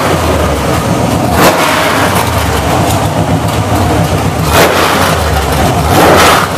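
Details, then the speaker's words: Chevrolet ZZ6 / CT400 V8 crate engine on test stand, forged crank, aluminum heads, roller cam, over 400 hp: deep even burble idling well under 1000 rpm with light throttle blips, no knocks or misses; normal idle. "as you notice I look like a pussycat de lisle nicely well under a thousand rpm and make awesome horsepower well over 400 horsepower beautiful street motor"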